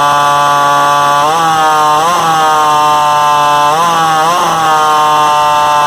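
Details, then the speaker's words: Vintage Craftsman chainsaw 358.355160 after a fuel line repair, started on choke: a high, screaming two-stroke note held with brief dips; idle far too fast, owner suspects an air leak and plans carburetor adjustment. "but it sounds like it's got a air leak somewhere because it's got a really high rpm sometimes that's an indicator of uh apparently we'll see if we can get this to start again"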